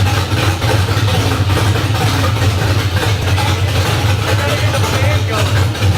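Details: LS1 V8 swapped into a 240SX, first start on open headers with a new fuel filter fitted: a deep, loping, choppy idle with a loud exhaust rasp.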